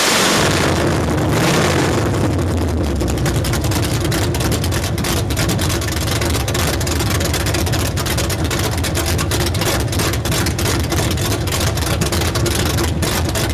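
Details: 383 stroker engine with a Comp Cams XR282HR cam. Uneven, loping idle with irregular low thumps and no steady beat: rough idle, cause unclear.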